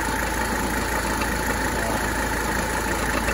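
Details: 1985 Mercedes 300TD diesel at idle after AC charging, low-side pressure about 43 (expected about 45), still slightly low on freon: thin constant whine above the idle; AC compressor not sounding good, cause unclear.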